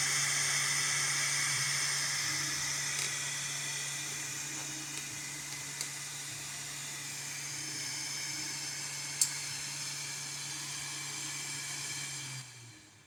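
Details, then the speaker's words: Bambu Lab A1 3D printer after a fan noise repair (disassembly, cleaning and reassembly): a smooth, even fan hum with a soft airy hiss and no scraping or ticking. The fan now runs clean and healthy. "Bom, pessoal, agora, ó, sem barulho, ó. Girando ali, ó, sem barulho nenhum. Eu vou ligar a impressora aqui e vou mostrar para vocês que o barulho já não tem mais."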